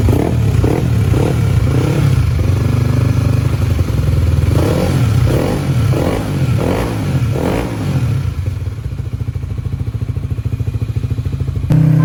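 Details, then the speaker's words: Honda CBX 150 bored up to 63mm for daily use, idling after rebuild: light, quick ticking over the exhaust beat; valve clearance set wrong because the rocker arms had no adjuster, so they are replaced with adjustable rockers. "ternyata suaranya masih ada yang ngeletek Bang jadi kita bongkar lagi buat ngecek dan permasalahannya tuh ada di pas nyetel simsimannya karena platuknya enggak ada setelannya"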